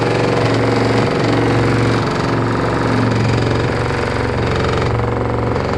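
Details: LG F14A8RD washer dryer: heavy, loosely regular banging, about four thumps a second, over the drum running; loud knock, cause not pinned down.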